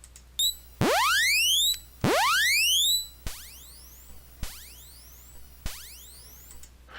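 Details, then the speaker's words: Commodore C64, known-good machine's 6581 SID chip output recorded as a baseline: clean rising tone sweeps and short chirps from the SIDBench program, crisp and undistorted over faint input hum; healthy sound chip output. "and then I recorded the 6581 from a known good machine and we'll play that back here too"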